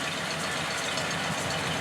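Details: 1936 Ford Roadster, newly built after a year's wait for the engine, smooth even idle with a soft steady rumble and no tapping or misfire; engine sounds healthy.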